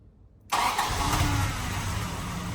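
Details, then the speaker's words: 1985 Toyota Land Cruiser 60 series stored unrun for 10 years, started on choke: cranks briefly, then catches at once and settles into a steady, even idle with no misses or knocks, a healthy start. "I actually can't believe that just turned over and started"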